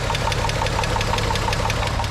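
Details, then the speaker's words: VR6 Beetle at idle during a 10-minute engine flush, before hydraulic lifter additive and fresh oil: fast light ticking, about six per second, over steady idle; owner suspects a lifter, valve train ticking. "what I'm thinking is this valve train noise so let me know in the comments how bad you think this noise is"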